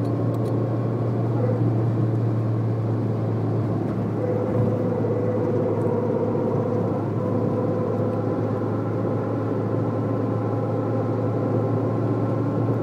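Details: Citroën Saxo on the highway at certain speed: steady low hum with a mid-pitched drone joining under throttle from the front; worn left front drive shaft, solved by replacing it.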